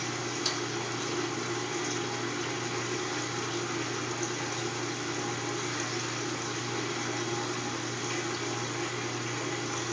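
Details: Kenmore top-load washer draining on its way into spin: steady rushing water over a constant pump hum. Drain is normal. Owner notes the motor runs without spinning until the lid is lifted and closed again.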